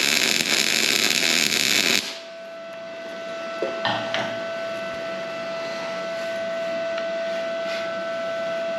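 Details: Arccaptain MIG 250 welder straight out of the box on its own synergic settings, on surface-rust-cleaned plates: steady crisp frying sizzle for about two seconds, then stops; smooth, well-set MIG arc.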